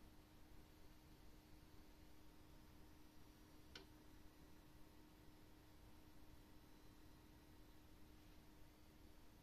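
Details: ASUS ROG Strix RTX 3080 graphics card: faint steady low-pitched coil whine over quiet room hiss, one brief knock near the end.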